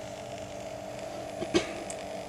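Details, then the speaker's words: Grundig TK 1 portable 3-inch reel-to-reel recorder, otherwise working well. Faint steady hum with a thin tone near 600 Hz: interference noise from the drive motor. "so um there's a little bit of noise from interference from the motor but um other than that it's working great"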